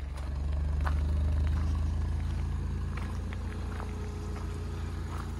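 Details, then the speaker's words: Low-mileage Ford Ka Titanium, salvage car, at idle: a steady hum whose revs ease down slightly and settle as the air-con compressor cuts in, then recover when it cuts out. Normal idle dip from the A/C compressor engaging. "i've just heard that cut in it's working i could hear it turn it off again yeah do you hear it brings the revs down"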